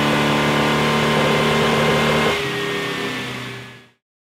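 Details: 1974 Pontiac Firebird V8 on dynamometer, carbureted: full-throttle roar with rough uneven beat from misfire, then throttle closes and fades.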